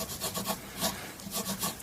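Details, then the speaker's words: Chapman ML-2 Gold Top guitar during setup: rhythmic sanding rasps with faint clicks as the leveling beam catches slightly uneven, high frets. "tiny bit there so you can hear the clicking and it you hit on the slight uneven"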